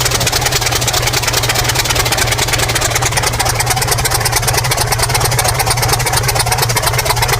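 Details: New diesel engine for a T62 tank, first start attempts after oil pumped in: turns over with steady fast chugging but never settles into a run; stubborn hard starting, later started using starting fuel for heat.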